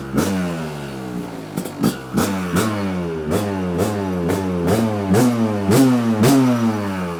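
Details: Kawasaki KDX 200 two-stroke after a new piston and top end (first in 30+ years), first start with choke on. Crisp rasp climbing and dropping with each throttle blip, picking up cleanly: normal running.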